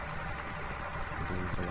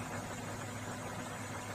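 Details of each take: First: Komatsu PC200-6 excavator diesel with black smoke and low power: uneven, harsh idle with lumpy beat from one cylinder; injector number 3 found leaking, rough cylinder. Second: Komatsu PC200-6 excavator diesel: even, steady running under throttle with no knocking or hunting, clean exhaust with no smoke; normal healthy engine.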